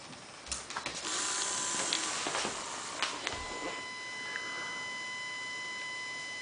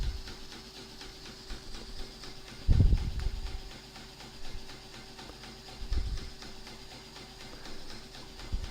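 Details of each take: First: Fischertechnik pneumatic hand model: after handling clicks, a steady high-pitched whine as the motor strains against its end stop, wanting to go further but can't; the gear whines and hangs. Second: Fischertechnik pneumatic hand model: faint steady hum of the small compressor running normally under handling bumps while pressure builds before pneumatic response.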